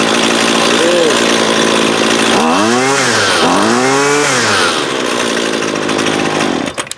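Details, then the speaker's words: Husqvarna 128LD 28cc two-stroke trimmer, warmed up, during low-side carb adjustment (previously wouldn't idle): steady idle, then two rev-ups with a brief hesitation before climbing cleanly; mixture backed off, still slight hesitation. "so i gave it a little bit of hesitation so we'll back it off [Music] uh still has a little hesitation"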